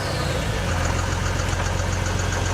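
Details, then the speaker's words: 1979 Ford F250 converted to a combine diesel engine, revived and running: low steady diesel clatter at even idle, chugging like a tractor, no misses or unusual knocks; normal diesel idle. "That's so weird. Sounds like a tractor."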